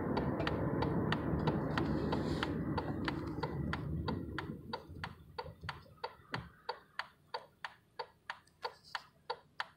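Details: 2001 Chevrolet Impala turning left: front-end clicking about three times a second, slowing as the car rolls to a stop; cause unknown.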